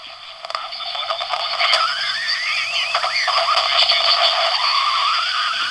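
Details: Superhet shortwave converter feeding a regenerative receiver demodulator, not well tuned: regeneration pushed too far gives a rising, wandering squeal and croaking warble over hiss as the detector breaks into oscillation.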